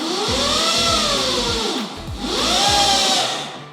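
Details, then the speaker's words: QS 4 kW mid-drive motor on a bike with a Symbyote 12FET controller and a 72 V 33.6 Ah pack, in sport mode (two beeps, up to 200 A): electric whine rises and falls twice as the throttle is worked. Normal motor whine under acceleration. "Another mode is the sport mode. You will hear two beeps, and now the power will go quite up, like up to 200 amps."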